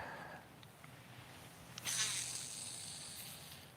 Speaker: You hear how noisy all that is? It almost sounds like it's dragging. I don't know. This spool is noisy, but casts great.